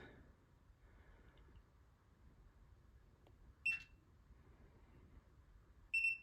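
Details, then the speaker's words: New replacement ULTRALOQ U-Bolt Pro smart deadbolt after auto-lock was set to 10 seconds: quiet room, then two short high beeps a couple of seconds apart with no motor whir. Bolt not moving; owner says the deadbolt turns smoothly. "Move it down to 10 seconds. Great. It's just not moving."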